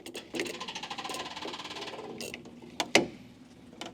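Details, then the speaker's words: Westfield XI revived from storage on a jump pack, with old, hard fuel lines. Fast, even electric buzzing ticks, then a few clicks: the electric fuel pump running normally, priming the carburetors. "The fuel pump is running. Looks like we have an ignition light on now. Fuel gauge is showing quarter. That fuel pump is trying to get the carbs pumped up."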